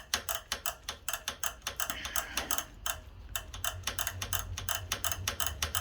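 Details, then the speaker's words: Rover P6 rear Girling caliper on the bench during rebuild: turning the handbrake cam gives crisp metallic ratchet clicks, about three a second, as the self-adjuster normally pushes the cup assembly onto the pad. "you can turn the cam, you can see it all moving, and if I shut up you'll hear it clicking. Now what it's doing, as that's coming up and pushing the wheel round, it's pushing the cup assembly down onto your pad."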